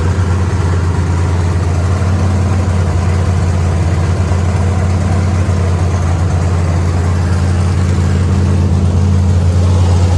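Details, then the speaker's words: Factory stock race car engine with the transmission out, floating on its front motor mounts, after fitting the right flywheel, which reduced vibration: deep, steady, even idle with no knocks, misses or squeals. It is idling healthily. "Well, I call that a success, folks. [laughter] Sounds good, too."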